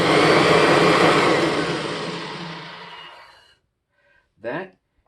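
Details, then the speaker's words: 1996 Kirby G4 vacuum before refurbishment, transmission in neutral; motor whine fades for about three and a half seconds after switch-off, excessive wind-down time; worn front and rear motor bearings. "excessive wine downtime so that's gonna mean front and rear motor bearing"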